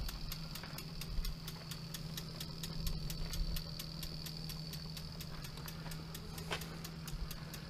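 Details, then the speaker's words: Trikexplor F426E recumbent quad with dual 48V 500W mid motors and SRAM 11-speed four-wheel drive: regular crisp clicks about four per second over a low motor hum. Normal freewheel ticking while coasting, which stops when pedalling. "ticking you can hear at the present moment is the freewheel on the cluster so if i were to turn the pedal assist or the pedals ticking stops okay"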